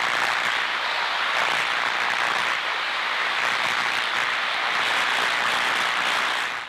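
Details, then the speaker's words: Ultraprobe 2000 ultrasound scan of electrical insulators: loud, uneven, sputtering crackling hiss rather than a steady buzz; intermittent electrical discharge, the destructive kind, as opposed to continuous nuisance corona from sharp edges or burrs. "using ultrasound we're able to distinguish between these sounds and intermittent sound indicates destructive"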